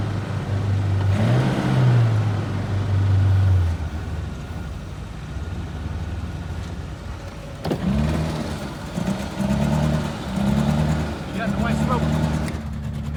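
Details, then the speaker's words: Suzuki Samurai kept alive with starting fluid sprayed into the carburetor horn; engine surges and sags unevenly, stumbling between bursts of revs and barely staying lit; rough running. "help me it ain't happy it is not happy"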